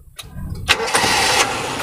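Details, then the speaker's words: 2003 Suzuki Carry Futura Realvan, carbureted, engine already warmed: a short crank, then it catches at once into a smooth, even idle with no metallic noises. Normal warm start. "Wah, kita starter langsung jreng, sekalipun masih karburator, karena itu kita udah angetin."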